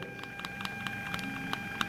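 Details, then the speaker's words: Bluetooth audio module and amplifier board sharing one 12 V supply: steady thin whine with scattered clicks, audible even at minimum volume; power supply interference noise. "subir o bajar con el control que ya incluye este tipo de módulos igualmente se escucha esa interferencia"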